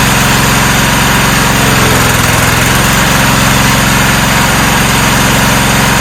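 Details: 1994 Cub Cadet HDS2135 riding mower, unused about 10 years, now running: even, steady small-engine putter at a constant idle with no stumbling or knocking. Normal idle.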